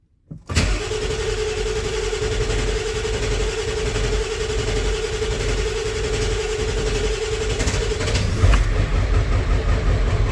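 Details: 1994.5 Ford F-350 7.3 Powerstroke after installing 160/00 injectors and a new intake, cold Alaska winter: about eight seconds of steady starter whine and slow cranking before it catches; air in the oil and fuel, oil rails not pre-filled.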